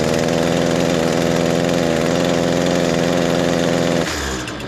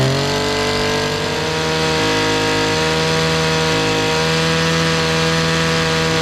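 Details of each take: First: Echo SRM-225 trimmer, cold start on choke: starts fine with heavy exhaust smoke but sags to a strained low buzz and bogs instead of revving when the trigger is pressed. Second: Echo SRM-225 two-stroke trimmer screams at a clean, steady full throttle, then the pitch falls on release; earlier bogging is fixed after running without a clogged spark arrester, blamed on too much oil in the fuel mix.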